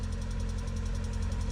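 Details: Lada Priora VAZ 21126 petrol engine at cold morning idle: fast even ticking about a dozen taps a second; suspected hydraulic lifters, quiets as engine warms.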